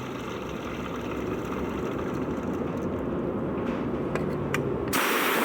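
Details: Peugeot 307 2.0 petrol idling: rough, gritty rumble and faint irregular ticking from a noisy accessory belt idler pulley.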